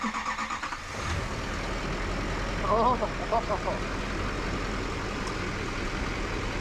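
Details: Duramax LML diesel first start after engine rebuild with forged crank, Molly pistons and aftermarket harmonic balancer (replacing cracked pistons): cranks, catches after about a second, settles into smooth even idle without knocks or misses.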